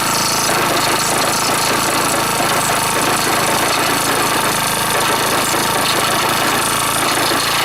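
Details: Honda Dio SDH125T-27 scooter: harsh, constant rattling over the running engine with no clear beat; bearing suspected, unconfirmed.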